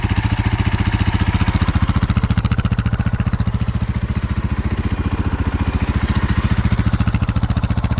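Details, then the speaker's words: 2010 Husaberg FE570 on stock muffler and exhaust, after a pinched and grounded kill-switch wire was fixed: an even single-cylinder thump at about 3.5 beats a second with no clatter or misfire, running healthy. "okay take two now I'll fire the bike up so that you guys can hear how she runs stock Muffler complete stock exhaust"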